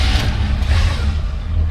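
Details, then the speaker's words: 1968 Chevrolet Impala V8, original car: deep, even rumble settling into a slightly fast cold idle, no knocks or misses; normal cold start. "that's a cold start and you can hear it running a little bit a little bit cold obviously"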